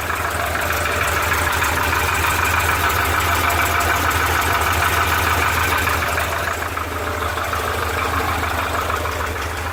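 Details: Porsche 912 air-cooled engine at steady idle: a fairly regular light knock, about 200 per minute, rides over the clatter and sounds lower-end; piston slap suspected, not confirmed.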